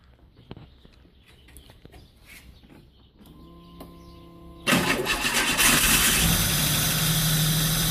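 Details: V8 first start right after a timing chain replacement: quiet, then a short crank and the engine catches cleanly, settling into a steady even idle with no knocks or ticks; normal.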